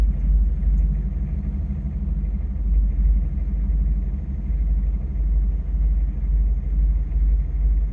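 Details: Chevy/GMC 6.5 turbo diesel truck just started after replacing the pump mounted driver (PMD) and fitting a higher-value resistor: even deep diesel rumble settling into a smooth steady idle, no stumbling or hunting; starts and runs healthy.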